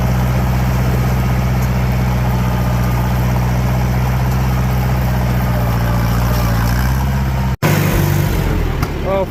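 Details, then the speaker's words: Farmall 504 tractor after fixing fuel starvation caused by clogged sediment bowl, pulling through pit ruts where it previously bogged: even, strong low drone steady under load without stumbling; running nice, healthy engine under load. "But there we have it. She's running nice and great. It turned out it was just the source."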